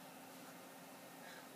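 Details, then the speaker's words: Dell desktop running quietly with a faint, even airy hiss after fixing the factory-reversed fan that caused noisy overheating; normal quiet fan operation. "But listen to how quiet that is!"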